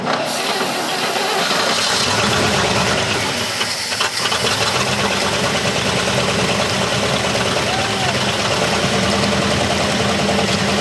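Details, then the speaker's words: 1970 Chevy C50 crane truck, 350 CID V8, sitting over 10 years, just started for the first time: catches and settles into fairly steady idle with loud hissy background, no obvious knocking; runs, though a belt shredded. "well we got her started we know she runs anyway"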